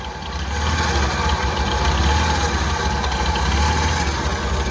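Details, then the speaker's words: 1989 Ford F-150 300 inline six, 4-speed manual, first start after about 8-9 years sitting, apparently on new gas with partly bled system: uneven lumpy idle with slight miss that steadies and evens out over a few seconds; improving, cause unconfirmed. "You can hear it missing just a little bit, but I think she's starting to come back around."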